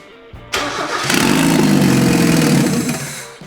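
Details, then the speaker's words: Mazda Miata NA 1.6 with new turbo kit and untuned MegaSquirt ECU, started to see turbo spin: ragged, surging, stumbling running that never settles to idle; owners suspect crank sensor or untuned ECU, unconfirmed. "this is a horrible idea it's fun yeah it's f it just doesn't know how to run yet"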